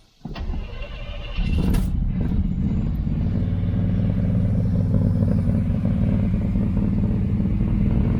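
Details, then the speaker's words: 1982 Chevy El Camino, carburetted, dual pipes, long stored: cranks, catches, then loud, slightly uneven deep idle that clears with some gas; owner suspects the carburetor, possibly timing slightly off. "if you leave it give it some gas and it'll clear out a little bit"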